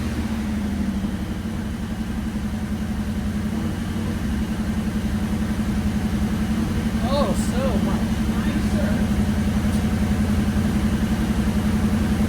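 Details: Restored 9C1 car just after new exhaust install: even burbling idle, steady pulse about four a second, mellow exhaust, no ticks or leaks; healthy.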